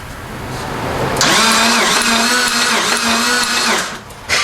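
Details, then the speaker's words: 1992 Dodge Stealth R/T, long unused: steady starter whine with even cranking for about three seconds and the engine never catches; spark present but no injector pulse; cranks but won't start. "we got spark we don't have uh pulse fuel injectors are not firing"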